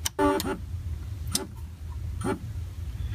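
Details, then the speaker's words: FrSky Taranis X9D Plus radio transmitter powered on: a low steady buzz of haptic vibration with short chirps about once a second, the switch warning alarm at power-on. "uh so when I turn this on you should hear the switch warning vibration"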